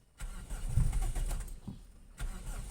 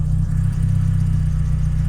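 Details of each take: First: 1992 Toyota Corolla 16-valve: hard starting, engine catches roughly, runs unevenly with no idle and stalls when accelerator released despite pumping; not a cold-start issue, ignition and spark plugs being checked. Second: 1992 Toyota Corolla 16-valve petrol, after fixing hard starting and stalling at idle, now idles steady and even without throttle, smooth low rumble with no misses.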